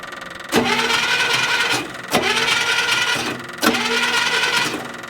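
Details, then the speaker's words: 1972 International Harvester 1110 pickup, off the road since 2013, after cleaning the points with emery cloth: three short bursts of steady cranking that never fire; no spark from the points. "nothing out of the points"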